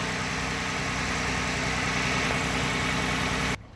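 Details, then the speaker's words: Car that had been sitting a long time, just started with a Tacklife T8 jump starter: light, fast lifter ticking about three to four per second over a rough idle while oil works its way up to the dry lifters. "because it took time for the oil to pump through and get up to the lifter and that's what that little tapping rattle from the engine"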